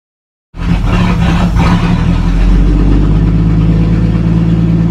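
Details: 1937 Talbot saloon 3.2-litre six-cylinder, first run since 1976: catches after a brief crank, then settles into a steady, even low idle with no knocking; slightly smoky, oil pressure about 40 at idle, 50 with revs.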